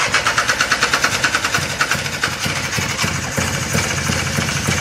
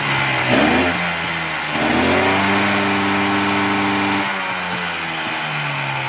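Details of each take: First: 1995 Polaris Sportsman 4x4 two-stroke ATV, sat for years, restarted after choke use: uneven, sputtering two-stroke with lumpy pulses that smooth out as it's revved; flooded, loaded up with excess fuel and oil. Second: 1995 Polaris Sportsman 4x4 two-stroke ATV left outdoors for years, first runs after oil added: rough popping settles into an even idle, pitch climbing cleanly with each throttle blip; rest seems okay; normal two-stroke idle and revving.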